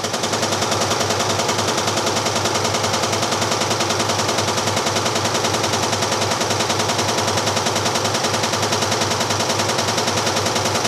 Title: MÁQUINA GE 15 KILOS BATENDO NAS LATERAIS FAZENDO MUITO BARULHO